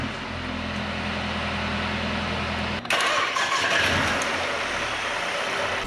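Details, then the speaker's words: Wrecked 2019 Mercedes-AMG A35 started after delivery with warning lights on; starter whirs briefly, engine catches at once, flares then drops to a steady even idle, clean normal start; owner notes a quiet exhaust and a blowing sound to investigate. "so ignition is on it's lit up like a christmas tree but the ignition is on um let's see if it starts it starts guys oh my"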